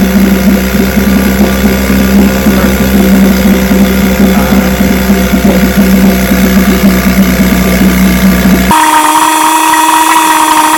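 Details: Vintage restored-then-repaired outboard, start test after the fuel valve was opened with the engine already primed; steady, even buzzing idle with constant pitch, no misses or surging, for about nine seconds; 5-minute run done; running properly.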